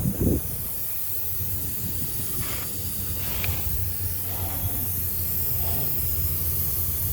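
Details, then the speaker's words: Polaris Trail Boss 350 quad, hot after hard riding: continuous pressurised steam-like hiss over low engine rumble, antifreeze smell; coolant spraying from short hose elbow into the head, believed split. "she's got a little hot um don't open that well this is just oh I smell antifreeze"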